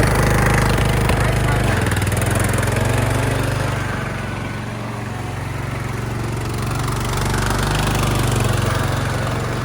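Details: Craftsman LT1000 yard tractor, long unused, after new battery, tune-up, fuel lines, oil and filter change, new spark plug: steady low single-cylinder drone with an even beat, slight dip mid-way; runs smoothly and healthy.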